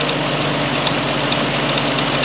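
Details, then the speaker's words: Historic Ford Willys Jeep Go Devil four-cylinder, long unused, just started, fan belt tightened: steady even idle, smooth low drone with no knocks or rattles; normal idle. "Oh, and I did tighten up that fan belt. And it's idling. Little go devil."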